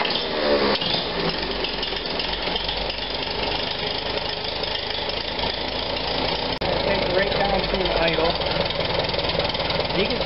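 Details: 1945 Farmall BN with Zenith carburetor, started cold in neutral, idling before carb cleaning: uneven, hunting beat around four pulses a second. Surging cold idle; owner suspects a blockage in the main jet from debris specks.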